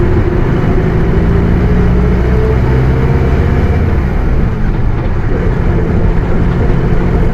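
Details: Bus with Mercedes-Benz OF 1721 BlueTec 5 chassis, Caio Apache Vip IV body, under way: low constant hum above engine and road rumble without fading; differential howling.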